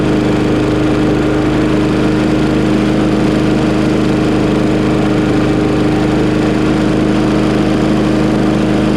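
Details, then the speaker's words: Craftsman Briggs 550EX push mower after a new plastic carburetor replacement, shortly after a cold start, choke opened within 30 seconds: smooth, constant drone with a steady firing beat and no surging or hunting. Runs clean. "See, that was fast. That was less than 30 seconds before it heated up and started to open. Oh well, works fine now."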